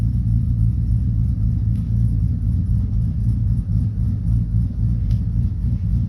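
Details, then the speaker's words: 2012 Silverado with a bigger cam and a Circle D converter, with idle fuel/airflow just increased slightly and the AC turned on. A deep, loping, steady idle without stumbling: "decently happy," normal cammed idle. "happier seems decently happy here so enter the ac on then so still didn't seem too bad"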